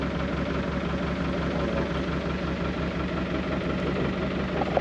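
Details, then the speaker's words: Narrowboat Josh diesel cruising at slow speed on hot day, River Weaver: low uneven thump at tickover with loose irregular firing; sounds close to cutting out at low speed. "This tick over thing's stressing me out. Sounds like Josh is going to cut out every time we go at slow speed."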